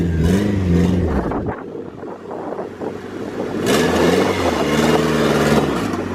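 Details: Honda Integra B20V turbo (eBay turbo kit), started after sitting a long time. Rough, uneven clattery stumbling when blipped, misfiring and smoking; owner suspects piston damage again.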